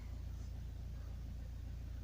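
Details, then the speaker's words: Diesel car with about 126,924 miles on its original cam belt, overdue a major service, idling right after a glow-plug warm-up and first-time start, windows open and blowers down: a low, even chug with steady pulses and no knocks or misses. "Open the windows. It's had time to glow up, hasn't it? There we are, first time every time."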